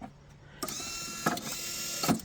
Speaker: mechanism is working perfectly now. There's a timer here that gives a slight delay. And there's micro switches here and there that sense the ball feed pivot point.